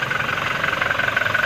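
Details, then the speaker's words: Diesel engine idling after the turbo actuator was rewound. Quick, even clatter with no misses. The check engine light is cleared and it no longer has low power. Normal idle. "Okay, hindi na siya low power. No check engine display na pagka umaandar."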